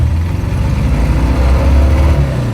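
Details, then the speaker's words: Car driving with fouled plugs, cylinders dead: deep, lumpy, uneven beat with missing firing, runs hideous, no power, runs cooler with no cylinder pressure or heat; misfire from fouled spark plugs. "yeah wow that runs hideous hey it runs much cooler now yeah you're not making any cylinder pressure or heat now right no power"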